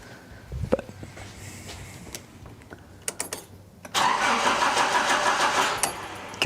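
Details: 1980s Nissan 200SX during ignition/igniter troubleshooting: after a few clicks the starter churns steadily for about three seconds and never catches or picks up speed. Cranks but won't start.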